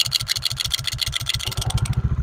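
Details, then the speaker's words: Honda Pridor 100cc single-cylinder motorcycle at idle: sharp metallic rattle bursting with each firing pulse, so bad it sounds like the whole engine is finished; caused by the flywheel magnet rotor, fixed by opening the magnet; noise eases when revved. "अब मैं bike start करने लगा हूं दोस्तों आपने खुद अंदाजा लगाना कितनी बुरी आवाज़ है और हम इसको आपको ठीक करने का तरीका भी दिखाएंगे यह आवाज़ है जो इसके अंदर से ए रही है"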